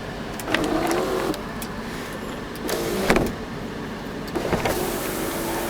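Electric motor whirs evenly through each run, starting and stopping cleanly with a steady pitch and no grinding; sunroof motor working normally.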